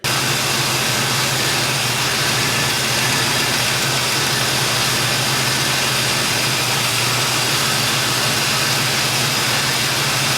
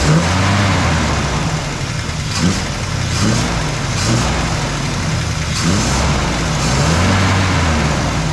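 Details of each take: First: 1972 Chevy Nova small-block V8 idling after Edelbrock cam, lifters, timing set, Performer intake and carburetor install, cam break-in and valve adjustment that removed a rattle; old cast manifolds still on before headers. Steady, even idle with a smooth low rumble, no rattle or ticking; normal idle. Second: Small block Chevy V8 in a 1972 Nova after Edelbrock cam, intake and carburetor install, just after cam break-in at 2200–2800 rpm: rough revving with light ticking following speed; valve train noise before valve adjustment, exhaust leak suspected.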